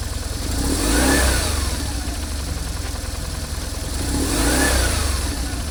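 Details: BMW R1150GSA boxer twin after swapping the left cam chain tensioner for the updated version: starts and blips twice, settling evenly with no chain rattle, only a faint throttle-body butterfly rattle still pending; cam chain repair successful.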